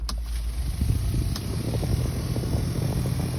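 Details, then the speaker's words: Maruti Alto K10 AC blower switched on: low steady drone with a fluttery rattle from leaves and debris inside the blower motor. Worse in outside-air mode, less in recirculation. "അപ്പോൾ ഇത് blower മോട്ടോറിന്റെ ഉള്ളിൽ കരിയിലയോ കാര്യങ്ങളൊക്കെ വരുന്നതുകൊണ്ടാണ് പ്രശ്നം"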